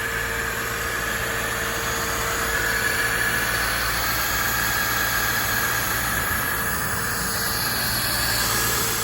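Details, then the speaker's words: Acura RSX Type S with swapped K24 engine (from 2004–2008 TSX), new oil, coolant and belt; first start after swap, starts right up; quiet even idle with faint steady whirr, no ticks or knocks; normal idle. "started right up that's how we do it first time starts see if there's any smoke yeah that's what a 50 000 motor should sound like"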